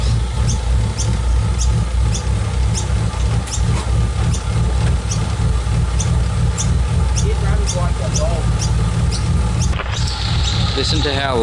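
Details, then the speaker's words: Nissan R34 Skyline during a service: deep idle pulsing unevenly and lopsidedly, lumpy rough idle, no clear cause heard; rough idle. "alright so I've got to move the car out a little bit so I can get to the jack stands so you guys can listen to it how bad it's wrong"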